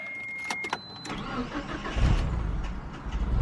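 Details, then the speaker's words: Galant VR4 restart after resting about 10 minutes warm: brief starter whirr, engine fires rough, falls flat and sags, then catches into an uneven idle. Better than before; hard hot starting suspected related to slightly out-of-spec coolant temp sensor, unconfirmed. "Oh, yeah, it's definitely better than it was before. Okay, but it's the same dealie. It kind of falls flat a little bit, then it starts again."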